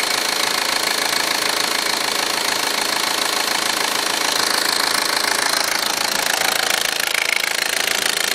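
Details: Audi A4 1.8T at idle after driving 3.5–4 hours with low oil pressure light on: crisp regular metallic clicking about two per second over thin engine hum; cause unknown.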